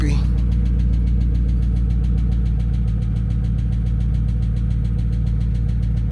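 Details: Dodge Charger Scat Pack V8 that had sat with a dead battery, first start: steady light tick about three to four times a second over a deep, even idle; bad top-end tick, owner suspects a lifter, plans oil change and additive.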